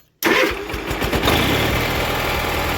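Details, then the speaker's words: Allis Chalmers 917 hydro garden tractor after carburetor cleaning: catches instantly and runs steady without choke, where before it only ran with choke on; now bogs with choke on. "yeah, that was no choke. Before it wouldn't run with the choke off, it would only run with the choke on."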